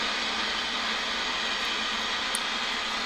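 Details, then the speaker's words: 1940s forestry service radio receiver, unrestored, first powered up with the volume turned down while tuning across the dial; steady even hiss with no stations or squeals, nothing on the band; receiver working normally. "it's trying to receive there's just nothing on the band"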